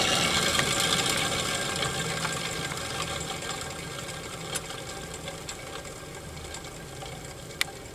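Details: Combustion blower fan on a Napoleon NPS-40 pellet stove, run briefly before replacement: small fan whirring with a dry, gritty rattle and steady ticking, about three a second, as it winds down; worn, failing blower motor bearings.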